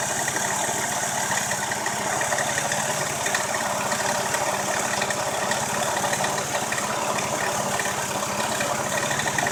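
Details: Steady idle with a fast, even ticking clatter riding over the engine note; abnormal engine noise, source not clear.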